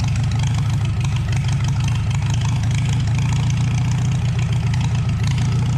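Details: 1949 Farmall H tractor running just after first revival, having sat unrun for perhaps 10–20 years: a steady, even low rumble that sounds more loaded but smoother, with no knocks. A leak is noted nearby.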